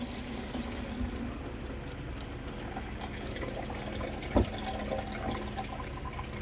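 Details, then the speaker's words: 2003 Winnebago Itasca Sunrise class A RV, water pump kicks on after clearing the sprayer line: thin, uneven water trickle over a low steady pump hum; faucet flow still weak, pressure only partly restored. "I mean it's not really strong yet but at least I can hear it's turning on the pump so there's actually a vacuum happening there now that wasn't happening before"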